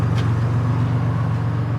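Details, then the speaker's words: 1992 Buick Century, 3.3 L 3300 V6, 78,000 miles, idling: deep, steady low rumble with slight throb and no knocks or smoke; runs great apart from a somewhat noisy muffler. "aside from the muffler making a little bit of noise"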